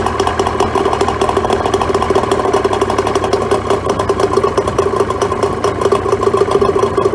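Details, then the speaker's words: Neglected 2004 Tohatsu 25HP two-stroke outboard (same as Mercury/Mariner) after fresh fuel, a cleaned fuel filter, new plugs and a pull-start fix: fast, steady buzz with even firing and no misses or knocks. It runs well, but no water comes from the telltale, so a water pump kit is needed. "But look, I'm pretty encouraged. It sounds like it's going to run fine once it's had a bit of a decent run."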